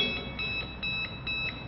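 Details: Samway hoverboard powered on: one wheel rotates but the other stays static, with quick high beeps about twice a second and red light; fault in the gyro sensor board, needing replacement.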